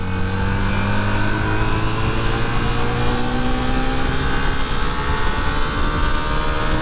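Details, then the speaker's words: Rebuilt barn-find Honda CB250 Super Dream ridden two-up at about 60 mph: engine pitch rises strong and smooth to 9,000 rpm under wind noise, with no misses or stumbles. Healthy acceleration after a six-month restoration. "The rev counter's still a little bit lazy. Oh, it's reading up correctly now, 9,000 RPM, baby. Oh, she's singing. She is singing."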